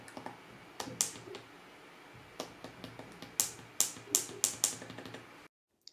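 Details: 2016 MacBook Pro 15-inch with Touch Bar, running hot under heavy load: some keys give a sharp, loud, annoying snap instead of a soft tap while typing. Abnormal key noise; other users reported the same issue since December 2016.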